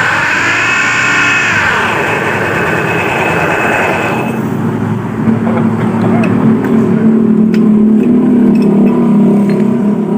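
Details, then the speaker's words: Honda Beat scooter with a helicopter-like noise: engine revs with a loud rough fluttering roar that stays harsh even with the primary pulley removed, pointing to a worn crankshaft bearing. "Jadi ini permasalahannya depan B ya suaranya tidak hilang jadi saya sudah Phoenix tadi permasalahannya itu ada di bagian bearing kruk-as ya"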